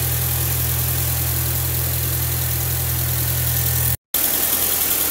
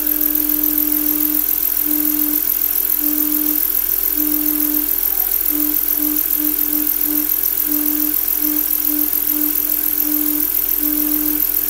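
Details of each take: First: VW B5 petrol engine, previously misfiring on cylinder 1 despite good compression and swapped plugs, coils and injectors, first start after a new camshaft: steady, even idle with no stumbles or missed beats; misfire fixed. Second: Volkswagen B5 engine running: a steady hum-like whistle comes and goes as the crankcase ventilation (PCV) valve sings.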